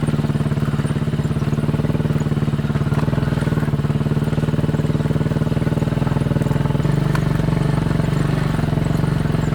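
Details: Chinese 200cc Honda-clone quad after spark plug replacement, after a 10-minute test ride: steady single thump about four beats a second with no missing; normal running, misfire fixed.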